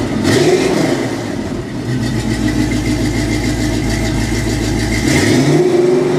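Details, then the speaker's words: 1984 Chevy K20 V8 exhaust after replacing cheap fiberglass-packed turbo mufflers with Flowmaster 5246 mufflers: fires up and settles into a deep, even idle with steady low rumble, no ticks or knocks; sounds much better. "well that sounds much much much much better"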